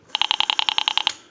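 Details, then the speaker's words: Western Electric 202 rotary desk telephone, heard through amplifier: about ten sharp evenly spaced clicks at roughly ten per second as the dial returns; miswired dial not squelching rotary pulses. "red at the rotary because it's supposed to squelch that noise the clicking the rotary dial pulse signal it's supposed to squelch that out now like I mentioned earlier you will always get a little click here there but you're not supposed to get what I'm going to just go ahead and let go of the rotary and you'll hear it"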